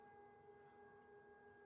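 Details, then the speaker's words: Potter's wheel spinning at full power, microphone close by: steady, clean electric hum with an even pitch and no rattles or scraping; little noise, running normally. "Some people prefer a little bit of a noisy the little sound so they know the speed it's per personal preference"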